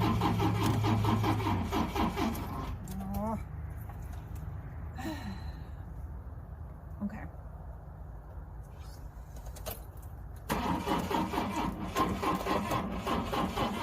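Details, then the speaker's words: 1970 Volvo 145 station wagon, sat too long: the starter cranks steadily in long bursts but the engine never fires or catches; crank, no start. "Those are not encouraging sounds at all."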